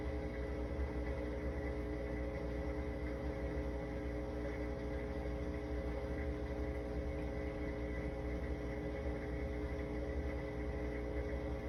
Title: ge dishwasher humming noise